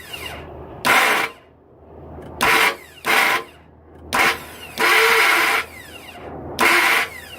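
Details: 2002 Ford F-150 XLT SuperCab 4.2L V6 2WD automatic cranking with short harsh grinding/whining bursts; starter seems not to fully engage the flexplate. Engine won't start until the crankshaft is turned manually with a ratchet. Cause suspected, unconfirmed.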